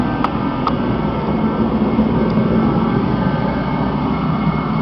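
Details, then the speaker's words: Rebuilt Mr. Heater Contractor Series torpedo heater at full fire, pressure perfect, too hot to get the thermometer close: steady, even roar of forced-air flame with no sputter or surging; burner running clean and healthy. "Peter sounds really good and our pressure is perfect"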